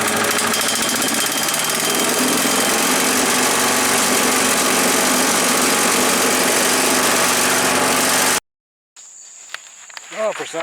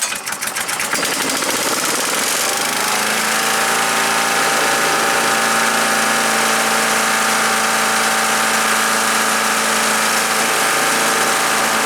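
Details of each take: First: Earthquake chipper/shredder after sharpening the blades: steady engine drone under a dense rattling chew, holding speed without bogging; cutting cleanly on light branches, less well on rock-hard ones. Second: Earthquake chipper/shredder, small petrol engine, shredding limbs: steady roar with a hard chopping beat about four per second, sagging as thick branches feed in; bigger ones went through poorly, owner suspects dull knives.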